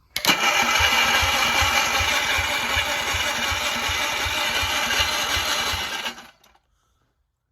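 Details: Onan engine on a Gravely with a homemade Chevy LS2 coil ignition and crank trigger, first start attempt: steady starter chug about three turns a second for six seconds, never catching; cranks with some spark but won't fire.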